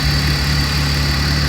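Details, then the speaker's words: 2002 BMW 330Ci warming up, codes P0300: shaky, uneven idle from a random misfire blamed on vacuum leaks; car shakes and runs very badly when started cold, poor acceleration control. "al parecer tenemos un mix fire que lo podemos escuchar en el vehículo está temblando y lo podemos explicar en el escape"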